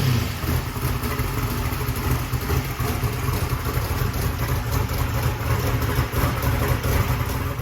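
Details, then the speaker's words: Race truck engine with a blow-through 750 CSU carburetor, carb hat off, rear float raised and needle and seats adjusted: deep, steady, lumpy crisp idle with no misses, pops or knocks, no leaks or booster dribble; normal. "And everything seems normal. It sounds really good. It sounds crisp."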